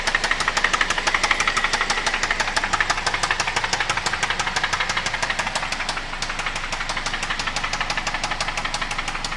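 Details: 2005 Toyota Corolla XLi idling after piston failure, head machined, cylinder sleeved, broken VVT pulley pin replaced and water in oil: hard, regular metallic knock, oscillating; rod knock.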